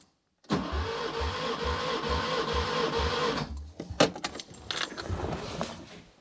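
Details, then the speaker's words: Barn-find Škoda 105 engine suspected of running on three cylinders, compression test cranking: steady, even starter cranking about four beats a second with no drag; healthy compression, about 162-170 psi. "i'd say that is almost 170 psi that's a lot higher than i was expecting actually just below a little bit below 70 maybe 68 or something like that that seems to be pretty healthy in my opinion"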